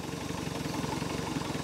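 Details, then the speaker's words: 1973 Larson boat, MerCruiser 120 hp 2.5L, started after sitting with the carburetor run dry, cold on choke: steady, even idle with a soft regular pulse and no misses or knocks; normal cold idle. "let's see what it takes to fire up yep that's it baby she's a runner that's from dead"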